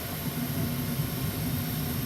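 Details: Old ICP gas furnace with its failed fan timer board replaced, fired up for heat (thermostat turned back down to 62): even low rumble with steady airflow roar, no knocks, rubbing or squeal; blower running normally.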